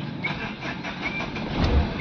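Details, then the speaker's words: Tata Safari Dicor 2.2 diesel with new camshaft position sensor fitted for P0340 no-start: brief crank, clean catch and steady idle with no stumble or misfire; starts normally. "ये गाड़ी हमारी perfect तरीके से start हो चुकी है।"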